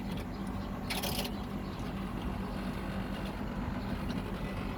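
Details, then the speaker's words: Outdoor AC condenser unit running after front motor replaced (post-wash fault, blinking light): steady compressor hum with fast buzzing chatter from the outer housing frame vibrating, not the unit itself; shifting it stops the noise. "เป็นดังไม่ใช่อะไรครับเป็นโโครงนะครับโครงมันดังไม่ใช่ว่าแอร์ดังโคงด้านนอกเครับมันสั่นแล้วมันดังขยับแล้วมันก็หายนะครับ"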